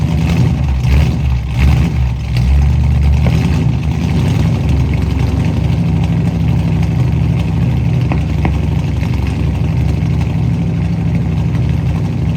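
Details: 1967 Mustang carbureted V8 after new fuel sending unit, blown-out lines and carburetor primary and secondary needle and seat fix: steady, even low rumble with no misses or surging; normal idle.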